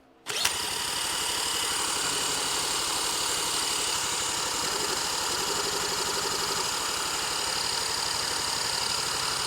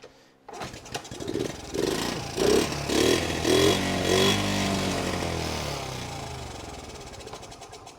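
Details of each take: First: Neglected 1977 Honda Z50 stored 25 years, cranked with an electric drill starter on an auxiliary fuel tank: high steady whine with soft chuffs, never catches because the fuel was left turned off. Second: 1977 Honda Z50 after 25 years in storage: single coughs and catches, a few throttle blips, then an even putter; starts and runs properly.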